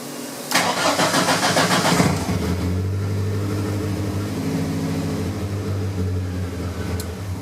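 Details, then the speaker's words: 1983 Rabbit GTI with VW 16V ABA engine on individual throttle bodies and Holley Dominator EFI, with fuel prime disabled. A short crank, slightly slower to catch, then a clean catch into a steady idle with less stumbling: normal start. "So it seems to take a little longer to kick over, but then when it does, it's not farting as much."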